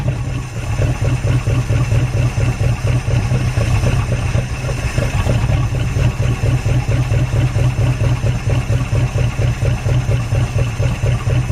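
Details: Derelict Dodge D150 pickup's big V8 firing up again after long storage, with fuel poured in and the fuel line disconnected because yellow scuzzy fuel is coming out. It catches and idles lumpy and uneven, pulses wandering around two a second, barely running.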